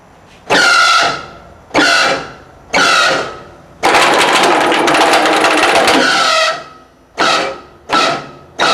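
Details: Three-phase air compressor run with its oil drained during a teardown, owner thinks a rod went: short start-stop bursts with harsh squealing, then a long heavy grind as the dry pump binds; pump seizing from oil starvation.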